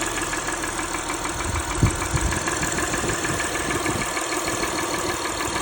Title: ticking engine valvoline restore + protect 3rd oil change with purolator boss filter rough idle a/c